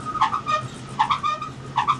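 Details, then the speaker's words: Metrotrak crusher conveyor: a squeal-and-catch repeats once per tail drum turn over a quiet belt run; visible bearing movement, suspected worn tail drum bearing or something stuck between drum and frame, not confirmed. "is the tail drum bearing. Now whether it's the tail drum bearing or the tail drum with something stuck between the drum and the frame, I'm not too sure."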